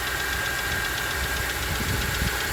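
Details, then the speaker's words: 2008 Ford F-150 XLT 4.6 L V8, warm idle after 2–3 minutes from cold; faint regular knock from the left/passenger side, absent when cold, louder on acceleration; cause unconfirmed. "Well, once the engine starts warming up, you will start to hear a slight knock."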